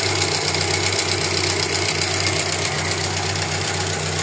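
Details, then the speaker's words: Mazda 323 engine during tune-up, heard at the exhaust: uneven idle about two beats a second with a shaky, clattery edge that changes when a vacuum line is removed. Rough idle from a leaking vacuum advance diaphragm, needing repair. "Sige, may ayusin tayo dyan kasi may problema na yung diaphragm niyan."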